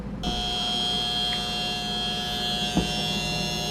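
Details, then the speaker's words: KitchenAid refrigerator not cooling, heard from the back with the panel removed: a constant high electrical buzz at fixed pitch while the compressor never starts; the start relay (small device with a white sticker and plug) is failing. "So as you can hear, it's that little device with the white sticker and the plug coming out. That's what's going bad."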